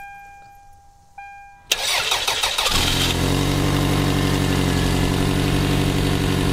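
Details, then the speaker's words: 1996 Toyota Camry, 275,000 miles, with an overheating issue, started at about 190 °F: chime, short crank, then a rough puffing idle from an exhaust leak. "as you can hear we got the uh exhaust leak"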